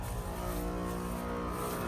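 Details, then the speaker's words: Home AC condenser after replacing the capacitor: steady low hum with an even tone that settles in without clatter; the compressor has started and runs normally, with refrigerant flowing. "And I just heard the compressor come on. You can hear it as a distinct sound. So our compressor did come on. I hear it going."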